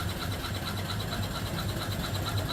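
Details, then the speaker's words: Upside-down 1880s-style 5 HP steam engine fed by steam-pressurized oiler; soft even chuffing with light rhythmic tick over low hum, very quiet running. "So, steam comes into it and it pressurizes the tank and pushes the oil out through these valves into the engine. Very quiet running"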